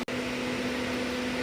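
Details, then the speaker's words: 2019 Chevy Camaro 3.6 with code P0128, before thermostat and ECT sensor replacement: steady, even whirring hum with no engine beneath it; radiator fan keeps running after the engine is shut off. "Fan's still running."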